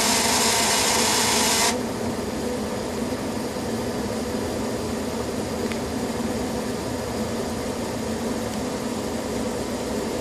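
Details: Furnace in heat mode at startup before the blower starts: fast even ticking, about four per second, over a steady mechanical whir; cause unclear.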